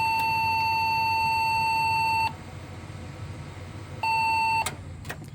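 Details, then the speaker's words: Local custom Pentium 3 cartridge PC with three RAM bays and a Yamaha sound card, after reseating and swapping the RAM: one long beep of about two seconds, a pause, then a short beep. POST beep code; memory suspected. "success we get a beep code all right so we for sure get at least the beep code back"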